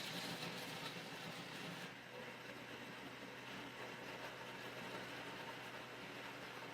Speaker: Did you guys notice that it was really loud when I did not put my hands on it? And then when I put my hands on it, it's the loudness or the noise reduced. The cover was rattling.